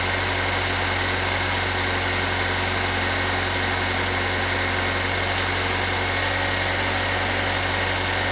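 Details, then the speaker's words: Pontiac Solstice idling after replacing the A/C compressor, while recharging with R134a: smooth steady idle with a constant hum, no knocks or squeals from the new compressor; engine and A/C sound healthy. "let's see how well that new air conditioner compressor we put in works"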